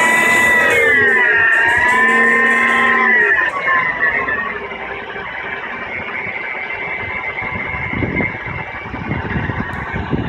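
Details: Mercedes W211 engine: a wavering whine dips and rises for a few seconds, then turns into a rough, ratcheting whir; owner suspects the oil pump, not confirmed.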